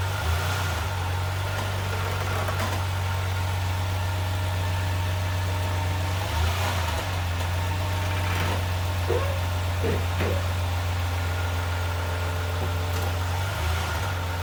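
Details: 2012 Lexus RX350 pulling away from a dead stop: steady engine hum with a few short creaks, also heard shifting park to drive or reverse; lubricating suspension and brakes didn't help, owner suspects transmission or engine mount.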